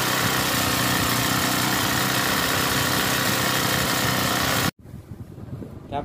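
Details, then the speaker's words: Honda GX35 brushcutter four-stroke after power-steering fluid was wrongly used as engine oil, then drained and overfilled with Honda oil; excess oil cleared through spark plug hole; buzzes steadily at high speed, then cuts out cleanly, no misfire; running normally. "นะครับติดๆแล้วครับ"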